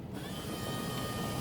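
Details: 1986 Ford F250 passenger door power window tested with a newly installed modified switch, ignition on: a short, even motor hum as the glass runs up and stops cleanly, so the window works normally.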